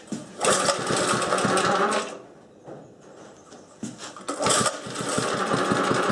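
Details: Old Webb cylinder mower with Briggs and Stratton engine, cold engine, about three-quarters choke and a little throttle: starts very easily, rough busy clatter dips briefly then picks back up evenly, running normally.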